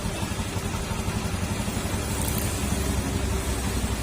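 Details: Honda Beat FI scooter CVT after repair and tightening; the cricket-like roller and slider noise is gone. Steady revs with an even drone and no knocking or rattle. The leaking pulley oil seal is still due for replacement.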